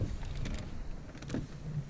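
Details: 2009 Ford Fiesta Mk7 1.25: low even rumble with only faint ticks, no clear clicking underneath after tightening loose bolts on a cracked pillar causing clicking.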